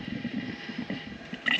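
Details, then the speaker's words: Hymer motorhome just out of six months' winter storage: with the water pump on and the hot tap open, water is drawn into the boiler, heating off. Irregular gurgles and splutters in the pipe as air is purged during the refill. "It will eventually, she says, start spluttering. You can hear water. You can hear gurgling in the pipe."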